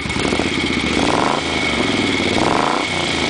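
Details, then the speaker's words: Freshly restored 1971 Moto Guzzi twin just after a cold start, with new Dunstall replica pipes: two quick throttle blips rise cleanly from a lumpy idle and drop straight back; normal throttle response. "give her a little exhaust little uh throttle here"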